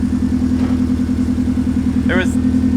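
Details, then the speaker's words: Subaru Legacy flat-four after single TD04 turbo conversion (7psi wastegate), full open downpipe, first start: steady, even low burble with smooth pulse, no knocks or misses; idles cleanly, sounds like a Forester. "yeah and that sounds pretty good yo that sounds really good sounds like a Forester it exactly like a Forester"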